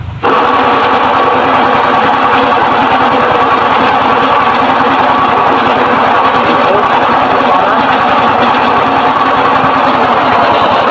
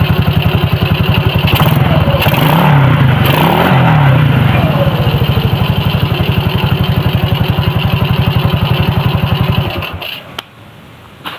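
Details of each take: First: Suzuki Shogun motorcycle engine running: a harsh, gritty mechanical rattle that gets rougher with throttle, traced to the inside of the engine, from a worn crankshaft bearing. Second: Suzuki Shogun motorcycle engine after the worn crankshaft bearing was replaced (originally rough, worse with throttle) idles evenly, revs up a few times, then shuts off, with no knocking or rattling: now normal.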